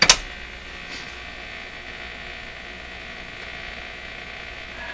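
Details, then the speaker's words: PYE 39HC valve radio at full power, volume at minimum, after a speaker impedance change fixed its motorboating: a click, then only a faint steady hiss and low hum with no putt-putting pulse; no motorboating. "so normally this radio would be motorboating right now the volume is at minimum"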